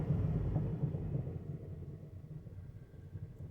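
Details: 2009 Mazda5 with front wheels off and hubs spinning in reverse after a transmission fluid change; grinding began during driving. A low, rough rumble with an uneven pulsing grind from the front; the owner feared transmission failure.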